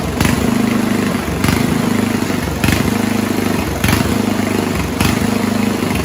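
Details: 1970s Roper 1032 snowblower, probably 10 hp Tecumseh-style engine, idling: surges up and drops back about every 1.2 seconds. Lean idle mixture; after fitting fixed-jet bowl it still hunted until idle circuit was made a tad richer.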